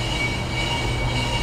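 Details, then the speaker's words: Brake lathe machining a 2008 Ford Flex front rotor, with a drum-brake rubber band as a makeshift vibration damper: a steady motor drone with a thin, scratchy metallic ring as the bit bites high spots. Done when the scratching stops. "We'll just listen for that rotor to stop making rotor scratchy noises. And when it stops making noises, that's when it is done and we can set it up for another pass."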